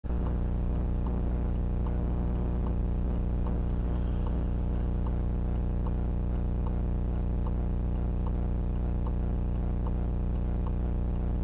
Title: VIOFO A119S Very Loud Noise on the Footage